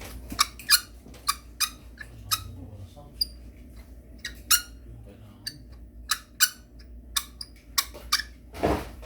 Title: Ronin-SC - Pan Motor making Squeaky NOISE them sometimes it vibrates - D.A.R/JC